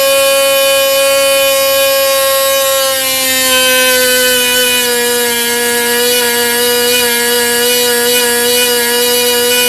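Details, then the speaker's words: Jett .46 model engine with full tuned pipe, on a propeller test: a piercing, steady high scream near its 16,500 rpm peak that settles slightly lower as the needle is opened to richen; running clean. "I took it to the peak RPM just to find that needle position. Then I opened it up about one turn, and it went from 16,500 down to about 14,500."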